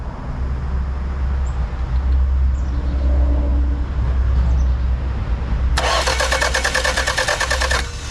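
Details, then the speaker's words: 1991 Toyota Celica not running since timing belt job, clutch held in: starter cranks with low even beat but never catches; possibly weak spark, distributor position being checked at top dead center, fuel also suspected. "I got maybe the reason why we wasn't getting a good enough spark is look at that right there"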